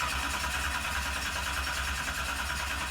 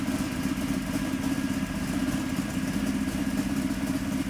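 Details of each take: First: 711 cubic inch Sonny Leonard twin-turbo Hemi in a 19-foot Placecraft jet boat, first start attempt: steady fast cranking churn that never catches; won't fire because the fuel system wouldn't prime and the cam sensor wasn't working (later fixed). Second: 711 ci twin-turbo Hemi V8 in a 19-foot Placecraft jet boat, first fire after about six years of construction: a steady, deep, lumpy burble with even firing, running on all cylinders.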